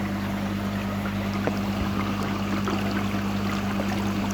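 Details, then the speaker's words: Phone pressed against a big blue carbon dechlorinator cylinder during backwash with an 80 L/min pond air pump: steady pump hum under soft, irregular bubbling as air fluidises the carbon; normal. "you might be able to hear that with the phone pressed against the side of the cylinder, but that's the sound of the air, 80 litres a minute, bubbling up through this cylinder, which is then fluidising and mixing the carbon in it so that it will bring that chlorine down to 0 again."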